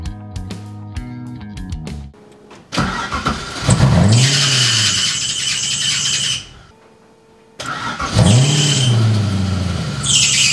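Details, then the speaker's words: Porsche 986 Boxster V8-swap track car after fitting mufflers and heat wrap: exhaust quieter, but right after catching a loud shrill squeal rises with each blip; accessory belt slipping. "Exhaust is quieter, but that squeal is horrible."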